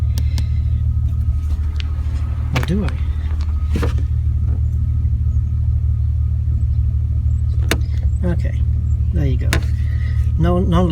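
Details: BMW E46 330Ci Clubsport idling during a battery tester charging test (14 V loaded, 13.8 V charging normal, ripple normal): steady low idle with an even beat, no knocks or misses, occasional background chirps and clicks; normal idle.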